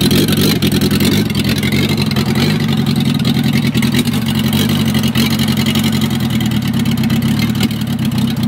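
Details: Gutbrod 1050 tractor fitted with an old VW Polo diesel engine, assembled the day before, first start attempt with the injection pump solenoid connected: the diesel keeps running with throttle blips and a rough edge but doesn't stall.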